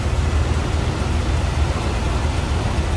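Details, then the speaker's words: 1979 Pontiac Trans Am 10th Anniversary with a numbers-matching 403 V8 and automatic, believed original miles, idles with a deep, steady, even low rumble and no knocks or misses; runs smooth. "Nice tidy engine bay and sounds good. Runs smooth."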